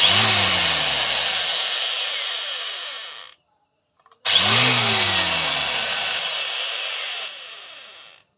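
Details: Boss angle grinder after repair for a sound problem, with the gear-side bearing replaced: two clean high-speed runs, each with a smooth whirring spin-down and no rattle or grinding; bearings sound healthy.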